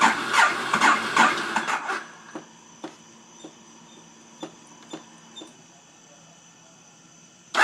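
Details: Ducati 848, hard to start: two seconds of ragged cranking bursts, then near silence with faint clicks and a last brief crank; the engine won't catch, cause unclear.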